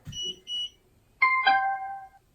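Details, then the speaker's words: Gotrax SRX Bluetooth hoverboard: on switch-on there are two short high beeps, then a falling two-note chime in a quiet room, and a blue light shows it holds a charge. Normal power-on tune. "And right away it does have a charge kicked on."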